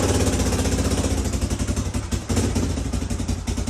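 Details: Free 1980 Honda XL500S single after reassembly: even thumping idle around four beats a second, steady, no knocks or misses: normal idle.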